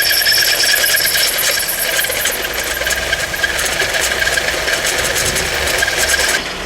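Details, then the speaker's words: Acura Integra (Honda) after the owner's brother drove it: harsh scratchy rasping with a faint squeal, steady with revs, from a bad distributor bearing; fixed by replacing the distributor with a spare unit. "I gotta get in my car that I let my brother drive the other day to go home, and I hear this noise. So as you may have guessed, the little car needs a distributor."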